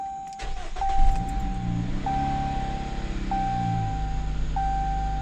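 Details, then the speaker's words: 2017 Jeep Cherokee Trailhawk (KL), 89k miles, after alternator replacement for a charging failure: engine settles into a smooth, steady idle under a repeating chime, no whine, squeal or rattle; normal idle, charging 14.4–14.5 V. "No odd noises."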